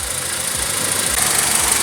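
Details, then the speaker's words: 2001-2005 Honda Civic four-cylinder idling after a DIY spark plug change: a steady, even idle with only the slight shake typical of these engines, no misfire, ticking or knock; a healthy idle. "It's barely vibrating. That's typical with these engines."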